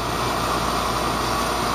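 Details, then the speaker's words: Goodman heat pump outdoor unit after repairs for control-board failures caused by improper 24 V control voltage; steady fan whoosh with smooth compressor hum, no rattles or cycling; normal running. "which is pretty good for Goodman and everything's running fine so I'm a happy camper"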